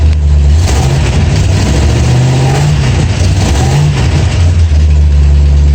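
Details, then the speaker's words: Old Ford Galaxie V8 after resistor-wire short repaired: rough, uneven revving, stumbling and stuttering at about a third to half throttle then recovering; owner suspects vacuum advance/distributor not advancing spark, exhaust manifold gasket leak also present. "I'm not getting full throttle and losing it about maybe a third to a half throttle and then it starts to break up because the distributor isn't advancing it to bring the spark up to it to catch up"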